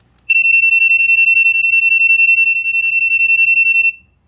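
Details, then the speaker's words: Smoke alarm with trumpet-style piezo horn and black plastic sensing chamber, test button pressed: very shrill tone pulsing very fast, about three to four beeps a second, then stops; working normally. "as you can hear it is very high pitched and pulses very fast very very fast so that's the first one"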